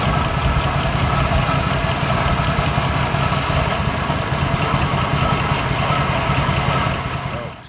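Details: 1973 Holden HQ one-tonner six with a four-speed manual, off the road since 1996 and sitting almost 30 years: a low, uneven idle with a lumpy, wandering beat and no steady rhythm. Rough running; it moved under its own power, but poorly.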